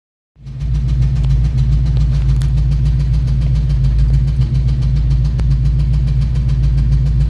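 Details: 1999 Ford Mustang GT 4.6L 2V at idle: a faint, somewhat irregular tapping of about three or four beats a second under the V8, and the owner suspects a rod knock; the origin of the knock is unconfirmed.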